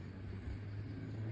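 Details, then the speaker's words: Electric scooter hub motor spinning: heavy low drone with a dragging rub, nothing touching outside, not the brake side; motor cover rubbing internally, fixed by opening and reinstalling the cover, magnets fine. "Okay, it's spinning, a noise, a noise, a noise, it's heavy. Look, maybe it's rubbing inside , but when you look, there's nothing."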